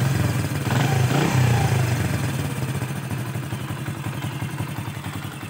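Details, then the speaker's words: New 2022 Honda CD 70 with only about 700 km, at idle: busy, even clatter at about three and a half beats a second, more noise from the engine than from the silencer; excessive engine mechanical noise. "जितनी engine से आवाज़ आ रही है उतनी silencer से नहीं आ रही।"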